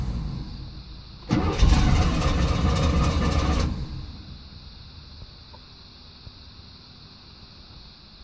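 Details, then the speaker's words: 1989 Camaro IROC-Z with start trouble after sitting: steady cranking about four beats a second with no firing, then quiet fuel pump hum; owner suspects fuel filter or fuel pump losing pressure. "you hear the fuel pump there's a fuel pump again but you get the idea I'll do that over and over and over and over until this thing gets started"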